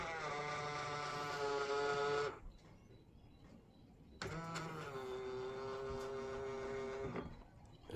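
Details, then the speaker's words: Honda Freed side mirror, fold motor noisy after being sideswiped by a bus, repaired with metal glue: two smooth, even motor hums with no clicking or grinding, strange noise gone. "bunyinya hilang solusi teratasi Makasih ya guys"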